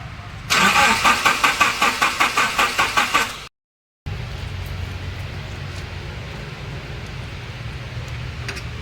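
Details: 2006 Nissan pickup, fuel pump OK but no current at the spark plugs; suspected fuse, relay, broken wiring or distributor rotor. About three seconds of even, brisk cranking that never fires: cranks, no spark, no start.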